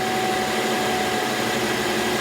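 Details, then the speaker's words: 2016 Mercedes GLE350 (W166), AC blowing warm once warmed up, started on high max cool: steady even hum, no clatter, grinding or cycling; compressor kicks on normally at idle, high side about 150, low side about 45. "As I start the car and turn it on high, maximum cool, the compressor should kick on, and you should see the low pressure drop and the high pressure rise."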